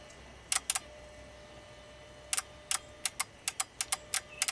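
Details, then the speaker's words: VW with an intermittent start-stall complaint, valve grounded manually under the hood: crisp, sharp clicks each time power is applied. The fuel pressure regulator valve switches normally, yet fuel pressure doesn't build. "It clicks fine. But it's not building fuel pressure."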